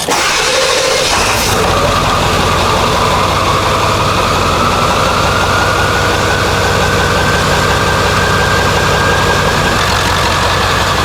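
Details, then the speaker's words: OBS 7.3L Powerstroke cranks briefly after a new Full Force Diesel HPOP install, with fuel and oil drained, then catches quickly and settles into an even diesel idle clatter. Starts normally; check engine light on, suspected low ICP or needing a reset. "about to start her up here we go oh my God it sounds really good check engine lights on start it up again here"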